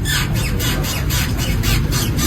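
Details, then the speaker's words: Car that sways while driving, not diagnosed at a workshop: sharp rubbery squeak about three times a second as the body rocks, from a worn stabilizer (anti-roll bar) bush. "Itu namanya step bush atau dikenali stabilizing bush. Fungsi dia untuk ikat anti roll bar. Jadi kalau kau orang ada masalah terhuyung-hhayang dan bunyi nyok nyok nyok ini masalah dia."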